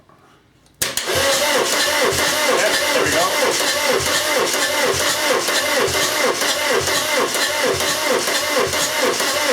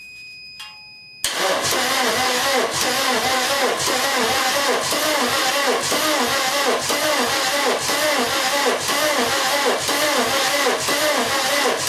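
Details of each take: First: VW camper with a swapped-in TDI diesel, dual mass flywheel just fitted, first cranking while checking the oil pump builds pressure: starter spins it evenly at about two beats a second with no binding or knock. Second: VW camper with swapped-in TDI engine, dual-mass flywheel just fitted, first crank: steady starter cranking at about two turns per second with even compression pulses and no catch, oil pressure warning beeping. No oil pressure; oil pump is driven off the vacuum pump.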